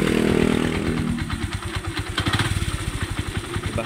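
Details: Yamaha YTX single-cylinder idling with a loose, rhythmic metallic clatter, caused by broken bolts on the starter clutch (bendix) at the flywheel. Not an overhaul case. Engine knocking.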